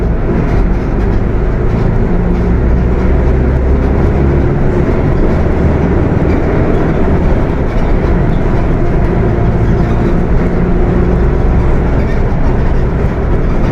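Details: Mercedes-Benz OF 1721 BTC 5 bus (Apache Vip IV body) while driving: heavy low growl droning under the engine, steady and deep; transmission growling loudly, pointing to a noisy worn gearbox.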